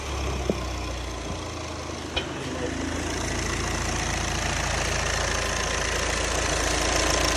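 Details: 2012 VW Passat diesel, after a crank-no-start with no codes, fixed by replacing all four injectors clogged with shavings (the high-pressure pump had been replaced): after about three seconds it settles into an even idle with steady clatter, no misses.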